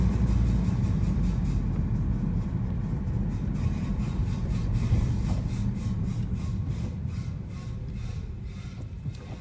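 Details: 2015 Honda Civic Si after a brake change: heavy low rumble with a rough scraping pulse three or four times a second, a loud grinding from the brakes; cause suspected, not confirmed.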